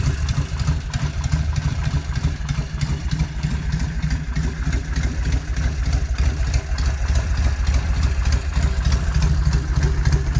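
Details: 1971 Norton Commando 750 Roadster, matching numbers, off the road three decades, engine and gearbox overhauled, after refurbishment: even, loping twin thump at about 200 beats a minute, then a quick throttle blip; normal idle.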